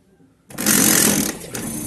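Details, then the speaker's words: 18-lb Samsung top-load washer starting wash cycle: harsh rattling grind as the clutch lever pawl fails to reach position and scrapes the upper transmission pinion; fixed by clutch calibration. "entonces por lo cual es que rosa con el piñón ella debería mantener el piñón así el piñón de arriba tenerlo para que la lavadora pueda hacer bien el lavado"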